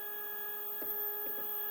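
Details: Single Z-axis stepper on a Duet board, 2 A, acceleration 120, feed rate 1000, phone on the desk: a steady high hum near 420 Hz with faint buzzy blips. The motor has run rough since a stall lowering the bed, cause unclear.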